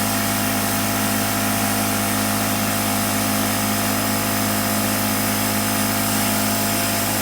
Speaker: The new air compressor is much quieter at 67, 68 decibels. The number still sounds high, but that's actually about what I'm speaking now.